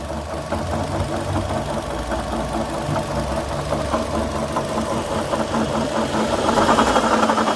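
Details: 2012 Chevrolet Sonic at idle, revved with stethoscope checks: steady light knock two to three per second quickening with revs, gone when belt removed; apparently a worn water pump, needs replacing.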